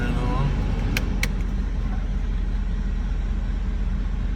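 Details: Engine idling high around 1800 rpm, settling about 1500–1600 in drive once at temperature, with a slightly boggy note. Rough idle persists with no codes after all sensors were replaced.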